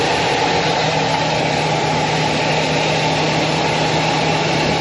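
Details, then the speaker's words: Owner's previous truck, a diesel, started after sitting a couple of days: steady, even diesel clatter at idle, no knocks or stumbles; sounds really good and very smooth. "Hasn't run for a couple days. And you can see here it's uh nicely. It sounds really good. Very smooth."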